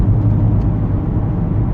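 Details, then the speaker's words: 2018 Ford EcoSport 1.5 three-cylinder Dragon engine after repair of upper-engine noise from wrong oil change: smooth steady low rumble while driving, no ticking or knocking, temperature and oil pressure normal. "mas é isso aí pessoal carro tá maravilhoso tô pegando um pedacinho de tecido para ele aqui agora nosso carro forte né gostoso temperatura tudo em ordem pressão do Óleo tudo certinho"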